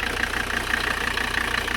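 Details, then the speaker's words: 1985 Mercedes 300CD turbo diesel, warming up at about 65 degrees coolant, idling: quick rhythmic chuffing hiss over the clatter from heavy crankcase blow-by; owner says a gasket is needed. "water pumps still doing good and check out this blow by"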